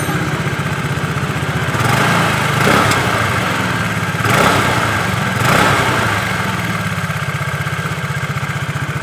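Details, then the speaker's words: Honda Vario Techno 110 carburetted scooter, after cleaning the carburetor and refitting the air filter to cure high-rpm sputtering: even putter, clean throttle blips rising and settling without stumbling; normal running, throttle response restored. "nah kalian bisa dengarkan suara motornya sudah normal kembali ke tarikannya juga lebih responsif guys"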